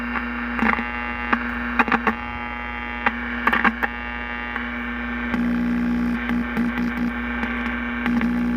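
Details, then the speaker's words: 1941 Crosley 52TA AM tube radio with original 50-plus-year-old capacitors, test capacitors clipped in on jumper leads with no change: a constant low buzzing hum with faint static and crackles. Mains hum; cracked capacitors suspected, unconfirmed. "yeah no change it's the same all the noise yeah it sounds like but it's it's alive man"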